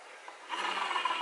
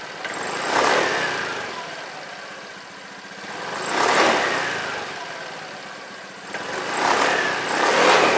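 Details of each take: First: Honda Beat scooter CVT rear pulley bearing turned by hand: dry gritty rasp, rough instead of smooth; worn bearing blamed for humming when decelerating, to be replaced. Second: Honda Beat scooter revved three times after replacing the dirty, worn rear CVT bearing: CVT runs smoothly, the earlier droning hum on throttle release now gone.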